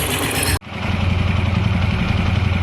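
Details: TVS Apache RTR 160 4V motorcycle after tappet adjustment, head reassembled: steady, even low thump at idle with no clear tappet ticking; normal idle.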